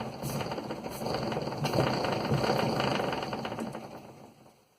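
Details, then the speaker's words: Quest velomobile after fitting new SRAM 971 9-speed chain (old one about 0.75–1% stretched at nearly 7,000 miles) and reassembled original idler, back-pedalling: light even ticking fading as cranks slow, no grinding; normal drivetrain like new. "So it kind of sounds like it used to do when it was new."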